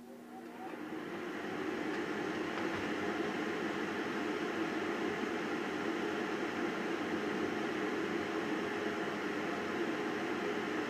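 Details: Garbage-picked chainsaw, first start after revival work: it catches and settles into a steady, even buzz with no misses or stumbling, running normally.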